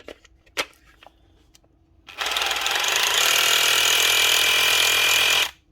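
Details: SDS hammer drill after re-greasing and reassembly. It starts and hammers at a fast, even rate with steady metallic chatter and no skipping; the hammer action sounds healthy.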